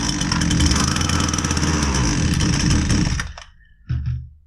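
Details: Husqvarna 122C string trimmer that only runs on choke buzzes roughly, won't rev, then dies and coughs; feathering the choke keeps it running, indicating fuel starvation.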